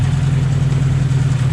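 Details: 2008 Ford Mustang GT with a passenger-side misfire, still present after ruling out the spark plugs and replacing the fuel injectors: choppy, stumbling V8 idle with uneven beats. Traced to a cracked cold air intake and PCV tube leaking unmetered air.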